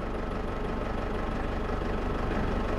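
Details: 2008 Ford Ranger 3.0L turbo diesel with black smoke and hard starting, idling with number two injector disconnected: slightly uneven, lumpy, lopsided low idle on three cylinders; smoke visibly improves with this injector out.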